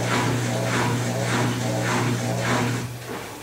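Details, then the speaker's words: Electrolux Ultimate Care LSW11 11kg/7kg washer-dryer, Cama e Banho program washing a double blanket, spin set to 1200 rpm: deep steady motor hum with repeating swooshes as the drum slows under motor braking; normal, healthy spin-down. "e esse valor isso é só você está ouvindo é o barulho do freio motor"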